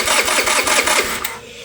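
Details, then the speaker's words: MVP 49cc Chinese scooter, cranks but no start: starter spins with even pulses, never catches; fuel visible in the filter but none past the vacuum petcock, owner suspects too little suction through the vacuum lines to open it. "Well, we got nothing. So, what I'm noticing though is I've got fuel coming through this filter here. I can see it chugging in there, but I got no fuel here, which tells me this thing's not opening, which means maybe I don't have enough uh suction through the vacuum lines here to open that up."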